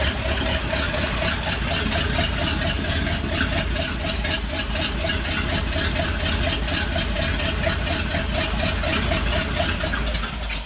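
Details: 1959 Ford F100 Special Delivery panel truck V8 idling after a tune-up: steady, even idle with a regular lope, no misses or stumbles, firing on all cylinders; some gurgling noted afterward.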